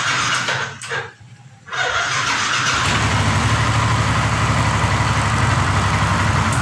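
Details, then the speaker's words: Yamaha NMAX starting after sitting overnight (morning), battery normal and no current leak: after a pause the starter drags slowly, about four beats a second, heavy and labored. "Untuk masalahnya seperti ini, ketika ini bisa di double starter, putaran dinamo sangat berat kedengarannya, dan apalagi di sore hari Pak ya, bukan sore hari Pak, pagi hari."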